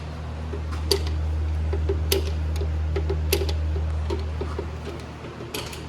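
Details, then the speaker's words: 2007 Chevy Cobalt rear drum brake, star-wheel adjuster turned after new shoes are fitted: light ratcheting clicks, about three a second, over a steady hum; the sound changes as the shoes tighten. "When you hear the noise change, or if it gets a little tighter, you know you're getting closer to being adjusted."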